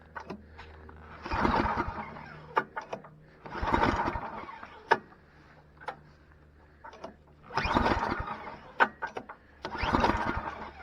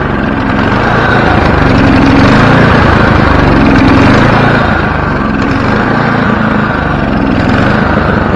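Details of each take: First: Free, previously dead snowblower small engine, fuel leaking past a spring-loaded part likely held open by junk, tried with starter fluid: repeated pulls, each catching about a second before dying. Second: Snowblower small single-cylinder engine started with one pull after carburetor cleaning and bending a part near the hot exhaust to fix surging: even, steady beat with no hunting. Surging fixed; normal running.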